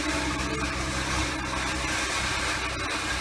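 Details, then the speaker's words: 2016 Ford Explorer Sport, 3.5L EcoBoost twin turbo, idling before rear turbo replacement: a busy, tinny rattle under the hood over a fairly steady run, with white exhaust smoke that smells of burning oil. "i don't know if you can hear this either but there's a rattle going on underneath the hood"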